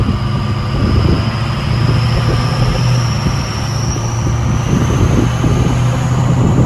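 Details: 6.0 Powerstroke King Ranch idling through the VGT relearn after a KC Stage 2 10-blade turbo install: a steady diesel idle with a high whistle slowly climbing in pitch as the vanes move. Normal VGT turbo whistle.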